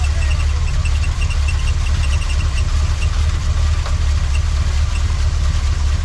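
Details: 1979 Chevy C10 V8 after sitting 5 years, accelerator pump working-ish: deep, steady rumble with even low pulses and no stumbling; idling cleanly on its own.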